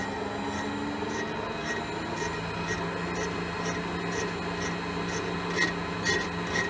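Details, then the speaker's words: Elliot 14S mill, test pass boring a 6.5-inch cast iron hole, handheld recording: steady spindle hum with a rubbing cut coming and going about twice a second; tool bites only the high spots of an oval bore, wider section untouched. "We're just taking a test pass. You can hear the ovality. It's cutting in there and up there and a little bit here, so that wider section's not got touched yet."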